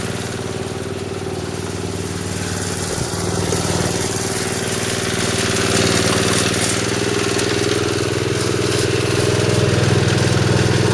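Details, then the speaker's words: Snowblower small four-stroke engine at steady idle with dirty old oil, before repair: rough fluttering beat; old damaged drive belt chattering on pulleys, clunking at the gap; a bent bottom piece also found. "that old belt that thing chattered chattered a lot with that it was running the way that is pushing this back so it was getting all that space going clunk clunk clunk"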